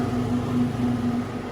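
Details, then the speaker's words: Delfield make-up table condensing unit after the loose stainless panel was screwed tight on both sides: an even low compressor and fan hum with no metallic rattle or buzz left, running normally. "all right that sounds a lot better jeez take three"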